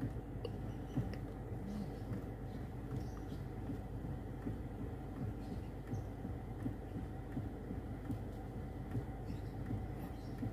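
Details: 2014 Toyota Harrier after replacing the steering column damper for a clicking noise at the top of the wheel: wheel turned lock to lock with only a low steady background rumble and no clicking; steering now normal.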